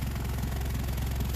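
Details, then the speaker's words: Exhaust noise complaint on a 2011 (approx.) Honda CR-V 4WD at steady idle: rapid even puffing tick over deep rumble from rotted, melted flange joint between intermediate pipe and rear muffler; exhaust leak, fixed with aftermarket split flange. "customer complaint is an exhaust noise"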